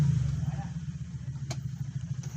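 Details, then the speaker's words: Euro Motor Model T: two sharp clicks over a low rumble and no cranking; the relay works but the starter motor was stuck, possibly after washing, and was freed by tapping it. "Nagki-click lang siya pero ayaw magstart. Ayan. Puro click lang siya. Ayaw n mag-start."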